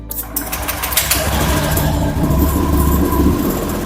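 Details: Honda Vario scooter after a throttle position sensor check, with the sensor reading 77° and 4.349 V at full throttle. The starter whirs, the engine catches quickly and settles into a smooth, even idle; full throttle now holds without dropping back: normal start and idle.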